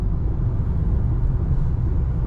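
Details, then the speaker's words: 2013 Toyota Camry after repair of a steering-column rattle and knock caused by a disintegrated bushing, which mimics a bad intermediate shaft: driving over a bump gives only low, even road rumble, with no rattle or clunk from the column. "nothing no rattle no nothing like the day came out the dealer"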